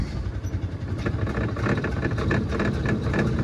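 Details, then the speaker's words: Gas golf cart at consignment auction, starting attempt: small engine sputters unevenly, surging and fading without settling; struggles to keep running, possibly flooded. "now let's see if it does its thing come on oh I might have just flooded it"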